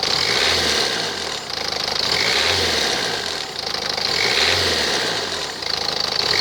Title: Ford fiesta mk6 1.4 tdci bad water pump